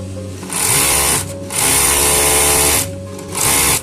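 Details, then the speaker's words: Overlock sewing machine in three short running bursts with a harsh, hissy metallic rasp that wasn't there before; metal-on-metal rubbing from lint packed under the throat plate. "Machine একটা sound আইতেছে সাউন্ডটা কিসের sound sound কিন্তু আগে ছিল না"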